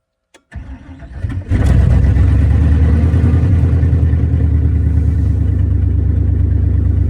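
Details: 1994 Chevy C3500 dually with a swapped LQ4 V8, no exhaust yet, fluids bled and moving under its own power. It catches after a short crank into a loud, lumpy idle with irregular stumbles, a misfire; the owner suspects an injector wiring issue.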